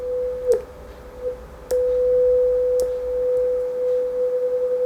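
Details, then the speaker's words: NUX Mod Core digital guitar pedal after fault diagnosis and repair of its DAC signal; clean steady test tone with gentle wavering that changes speed, a few clicks at start; modulation effect working normally. "hey there's our dry [Music] signal that sounds like it's [Music] running"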